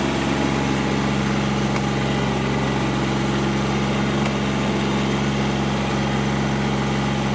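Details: Kubota GR2110 diesel mower running after topping up long-low, hardened hydraulic fluid; steady diesel drone with even whirring hum from the shaft-driven mowing deck, likened to a helicopter about to take off; hydraulic deck lift working; normal running, deck engaged.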